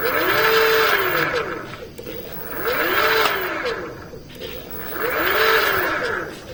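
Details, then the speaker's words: Electric bicycle hub motor: key on, throttle pulled, the wheel does not turn while the motor spins inside, giving an electric whine that surges about every two seconds with a churning rattle; internal hub motor failure before repair. "দেখুন এক্সেলেটরে টান দিয়েছি আমি, কিন্তু চাকা ঘুরছে না। কিন্তু যে মোটর ঘুরছে না তা না, মোটরের ভিতরে ঘুরছে।"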